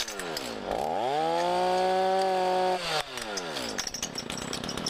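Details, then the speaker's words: Chainsaw fitted with a rotary gouge carving attachment revs up, holds high speed, then spins down with irregular metallic clatter; first taken for a bearing, it was a forgotten loose washer rattling. "That sounds like bearing. Oh. No, it's not bearing. That's that stupid washer. I forgot all about it."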